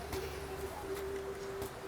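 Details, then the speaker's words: ST&G K1-K3 Green Family prosthetic knee, stance flexion properly adjusted: soft footfalls while walking, no clicking or popping as the knee flexes; too loose an adjustment makes it pop. "this video shows how when they're walking it's properly adjusted you will not hear a clicking or popping so"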